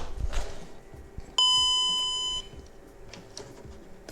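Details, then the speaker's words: VW Golf 5 instrument cluster (same as Caddy, Eos, Tiguan, Touran), final test after warning buzzer/loudspeaker repair and reassembly: one clear bright chime about a second, no rasp or crackle; normal warning chime, repaired. "ist es so wie man gehört hat der gong funktioniert repariert"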